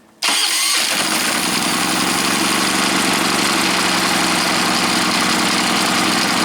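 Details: Predator 3500 generator that had a starting problem, run right after the ignition control module (TJ113-2009-1) was replaced. It fires on the first crank and settles into a steady, even buzzing run with no misses, so it starts and runs normally.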